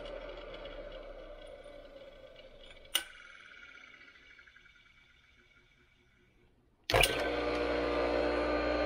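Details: Restored motor of a Craftsman 100 50th-anniversary table saw, freshly rewired, cleaned and oiled, first power-up after restoration: after a quiet stretch it starts and settles into a steady, even hum with a light whir, running smoothly.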